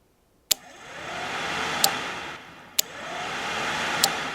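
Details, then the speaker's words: 12V electric cooling fan wired with a 4-pin relay and thermal switch, mic held right at the relay: sharp clicks, each followed by the fan whooshing up and dying away; normal relay switching. "That click that you were listening to is the electrical switch activating, transferring the power over."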